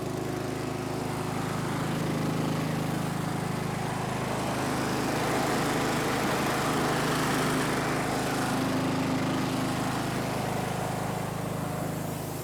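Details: Snapper riding mower, garage-stored by the original owner, runs after the angled fuel tank that starved it of fuel was set back in place; a steady, even small-engine drone with a constant low hum, no misses or knocks, normal.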